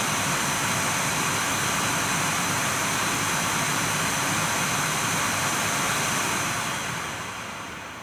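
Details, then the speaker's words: Nvidia GTX 980 reference blower card in a Dell XPS 8700, fan forced to 100%, microphone held right at the card: loud steady air rush with faint high whine, easing slightly; normal fan noise at full speed. "Alright, so I'm going to jack it up to 100% for the fan, though, and show you how loud that gets."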